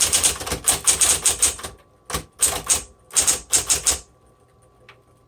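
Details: Crisp keystroke bursts in quick runs with clean pauses and no drag, slips or grinding; 1960s Smith Corona Coronet electric typewriter, repainted, typing normally.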